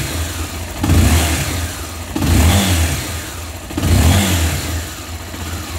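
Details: Honda XRE300 that dies on its own and is hard to start, with coolant bubbling while it runs: three throttle blips, each rising then sagging badly on release as it struggles to stay running. It dies on acceleration from a cracked cylinder head.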